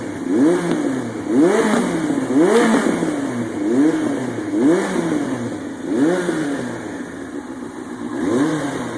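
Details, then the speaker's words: 2000 Yamaha YZF-R1 at first start after an engine rebuild, with slight squealing: throttle blips where the revs sag back slowly, a hanging idle. Idle adjustment or a loose carburetor air hose is suspected. "little bit of a hanging idle that could either be just an idle adjustment or it could be uh something in the carburetor sometimes when an air hose is loose and you get a little little too much air in there you can get a little hanging idle"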